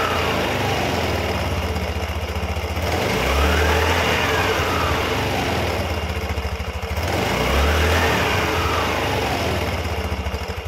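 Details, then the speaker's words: Yamaha Xeon carbureted scooter after the loose rear CVT part causing the noise was tightened. Two smooth rev-ups and returns to idle, pitch rising and falling evenly with no rattle or scrape; the CVT now sounds healthy. "Itu menimbulkan suara bising, teman-teman; Ternyata itu longgar. Sekarang sudah"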